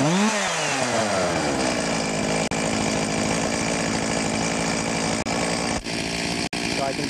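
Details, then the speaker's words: Stihl MS 361 chainsaw, about a year old, after replacing ignition module whose rev limiter stopped it revving past about 5,000 rpm: climbs quickly and holds steady high full-throttle scream without winding down; healthy. "get full speed now out of it. Not winding down like we did in the previous uh video."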